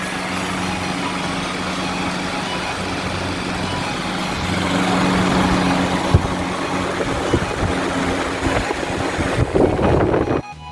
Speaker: So now let's do a test run of the fan. You can see that the airflow is really good and the speed is really high. It goes up to 1400 RPM.